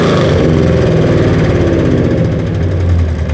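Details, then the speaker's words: 2nd-gen Ram truck with its old half-done exhaust, before the long-tube header install: a loud, raspy, uneven rumble with a ragged blat at idle and on the blip, from exhaust leaks through what the owner believes are big holes in the rotted headers. "get all the exhaust leaks wrapped up all trying stuff like I said I'm interested to see how bad these headers are I've been under air I think there's a couple of really big holes"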